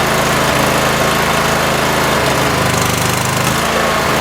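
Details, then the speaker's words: Cub Cadet twin after new plugs, one plug found very wet with gas: uneven idle with stumbling, skipped firing pulses; one cylinder misfiring, owner suspects bad coil, to check with spark tester. "I'm going to go ahead and try to crank it again in and if it doesn't run normal I have a spark tester that I'm going to get and plug into the uh spark plugs and I'll try it on either side and see if one of them is just not sparking"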